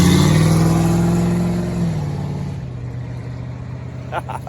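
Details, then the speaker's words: Dodge Dart V8, heard from outside after a new exhaust and a shortened, arcing high-tension coil lead, drops off throttle and fades away with an even, clean, loud note and no stumble; running normally. "i've never even heard her from the outside actually sounds alright she's pretty loud that's pretty cool"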